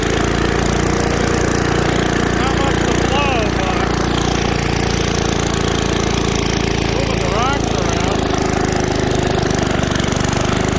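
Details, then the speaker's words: 1978 Billy Goat Winro leaf blower, 5 hp Briggs points engine found in trash, fed starter fluid and running low on oil: loud, steady drone holding an even pace with no misses or knocks; runs normally. "Now, I don't want to run it anymore on that little bit of oil, so it's amazing that it ran. Actually, didn't sound half bad either."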